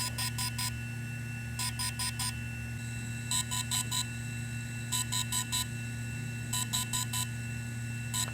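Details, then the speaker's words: DJI Inspire 1 or Phantom 3 battery firmware update via micro SD card, about three to four minutes per battery. Repeating groups of four quick high beeps over a low hum; this tone signals the battery update is complete. "once you hear this tone the firmware update has been completed for the battery power down the Drone pull the battery out and set it aside"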